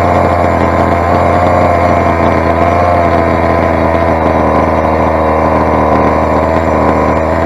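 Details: Rovan 45cc big bore two-stroke on first run, exhaust header modified to fit, carburettor settings off; loud, harsh steady drone with thin raspy edge; suspected lean running, exhaust too small and restrictive, unconfirmed.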